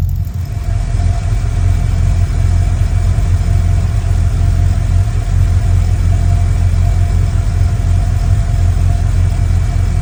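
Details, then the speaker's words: 1955 Chevy truck with late-model GM LS V8, original injectors, temporary exhaust, first run after year-long build, coolant about 187°F: smooth even settled idle rumble, no knocking, ticking or exhaust leaks; healthy. "No exhaust leaks. No rod knocks, no lifter ticking, no nothing. Everything is running exactly how it should be."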